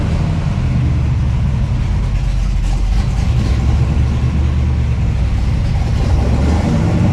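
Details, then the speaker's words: 1968 Camaro with fresh 383 stroker V8 (~500 hp) replacing the 327, on the road: deep, steady rumble with even beat, no knocks or misses; running strong and healthy. "All right. Man, that sounds good. That felt good."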